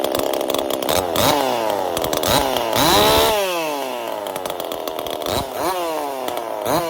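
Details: Husqvarna 50 chainsaw with Partner 5000 top end, 372 carburetor and copper-wire choke, after fixing a missing choke-detent ball bearing: blipped repeatedly, revs rise and fall cleanly with crisp throttle response and no bogging; runs properly.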